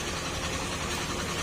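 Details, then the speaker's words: Old carburetor-type Honda Scoopy scooter idles with a rough, clattery low knock from a worn connecting rod and crankshaft assembly; engine being overhauled. "Kasi ang problema niyan mga sir ay connecting rod or segunyal assembly ang problema."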